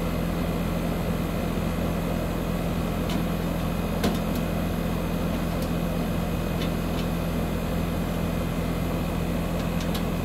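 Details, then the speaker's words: Heat pump outdoor unit just after replacing the start and run capacitors, about mid-60s°F outside: steady low compressor hum with constant tone and a few faint ticks; compressor running smoothly, cold air at the registers. "so all right so the sides closed up we can tell it's working because we can hear the compressor running"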